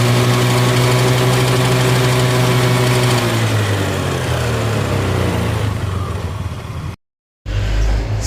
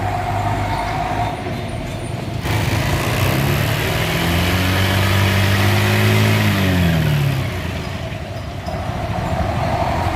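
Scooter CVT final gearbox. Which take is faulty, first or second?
first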